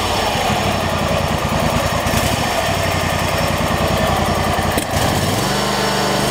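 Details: Troy-Bilt lawn tractor single-cylinder engine after choke cable readjusted to about 1/8 play to cure hard starting: fires and settles into a steady, even idle with a faint drop near the end; normal start and idle.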